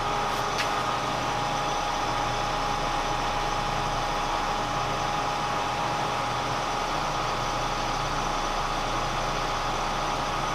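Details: Kearney & Trecker 307 S-12 plain milling machine after knee distribution box reinstallation, lube pressure set to 25: even motor hum with a steady high tone, no knocks or surging; hydraulic pump running smoothly at settled pressure.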